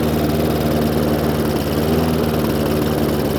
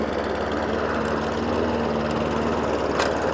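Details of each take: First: Hayter Ranger 53 mower after manually bending the throttle/governor spring clip forward: steady, even hum at full revs with no hunting or surging; revs now where they should be. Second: Hayter Ranger 53 mower saved from the dump, new spark plug: steady low bubbly drone with soft burble that never reaches full revs at full throttle; governor/throttle linkage out of adjustment, multi-speed drive possibly also not working properly.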